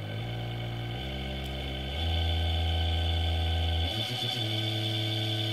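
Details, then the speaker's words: Induction motor on open-loop drive with no feedback, supplied at 36 V: low growling hum that steps louder and rougher as voltage rises, motor unhappy and drawing heavy current; overexcited at low frequency, too much voltage for the speed. "right now you can hear it's not happy at all as it's drawing laser current"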